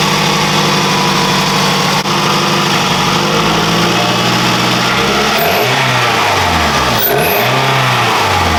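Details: 2006 Scion tC just fitted with a Takeda short ram intake: engine blips up and falls back cleanly twice, with a steady idle between and no hissing or leak noise; no leaks, sounds healthy.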